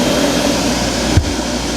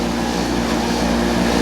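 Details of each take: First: Speed Queen 30lb stack dryer after blower motor repair for heavy vibration: steady even roar of blower and drum with one soft early thump, no scraping or squeal; running normally. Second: Speed Queen 30lb stack dryer blower motor: loud constant droning hum with a heavy low buzz; the blower motor is vibrating badly and far too noisy.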